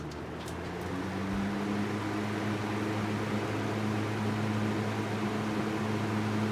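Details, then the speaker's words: Small Fasco fan after motor rewiring and reassembly, first test run on high: even motor hum with steady low tone building as it spins up, no rubbing or rattle; speeds differ little, running healthy. "these speeds change as there there's lo not a big difference between the speeds that's pretty nice like that"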